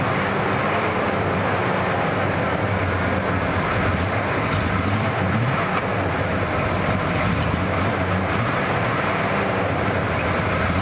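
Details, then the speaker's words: 1979 Ford Bronco original V8, untouched 30 years: wavering uneven idle, no knocking, near stalling; may be running out of gas, owner thinks a rebuilt carburetor would help. "I bet with a rebuilt carburetor, that engine will probably run a lot better. Plus, who knows how old any of the parts are."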